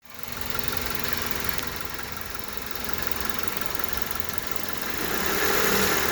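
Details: 1998 Honda Civic idling with a fast, fairly even rattle around four per second from the alternator area; worse uphill or under load, gradually worsening since last summer. Owner suspects the alternator pulley or alternator; unconfirmed.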